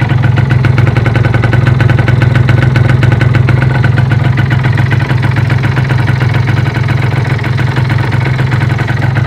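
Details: Derbi Euro 3 engine at steady low idle with fast, fairly even metallic clatter, about three or four ticks a second; owner suspects a bearing, unconfirmed.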